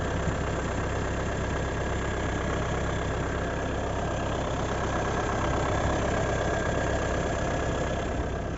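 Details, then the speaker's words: 2019 Renault Megane IV 1.5 dCi K9K 872 diesel idling after crankshaft pulley replacement, steady smooth clatter with no rattle from the front pulley; noise under the hood was traced to the old crankshaft pulley. "Ну и уже потом после замены также вам покажу какой был звук А вот такой вот звук после замена шкива"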